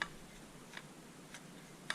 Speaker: Nothing. Like, that's good. That's how it's supposed to sound.